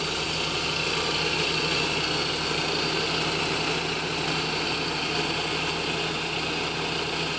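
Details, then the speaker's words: 1988 Toyota pickup, 22RE, after rewiring the starter relay (new wire with 30 A fuse to battery positive) and cleaning its contacts: the engine starts right up and settles into a steady, smooth idle with no misses or knocks. "as you guys saw it started right up there"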